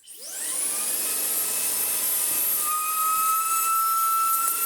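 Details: Shark WandVac WV361 UK handheld vacuum picking up greasy dirt: motor whirs up, then a clear high train-like whistle cuts in over the airflow; the shroud had blocked itself up.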